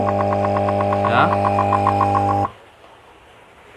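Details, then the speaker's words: Resun aerator air pump (LP40–LP200 series) with weak output, running with the cover open: strong steady mains buzz with rapid regular ticking, cut off abruptly; louder because the cover is off, and the rubber diaphragm is torn. "Nah, ini terlalu keras soalnya covernya dibuka ya. Karetnya itu sobek ya teman-teman, karetnya ada di sini."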